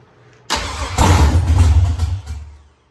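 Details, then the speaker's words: 1983 Ford Mustang with rebuilt 5.3 LS V8 from a 2002 Avalanche, with cam upgrade and 4L60E, fire-up, thermostat not yet open, oil pressure 40 idle/70 revved: catches cleanly, blips up smoothly with an even deep beat, then shuts off; healthy start and rev. "So Riley's ecstatic. Everything sounds good. Everything ran good. We're very happy there."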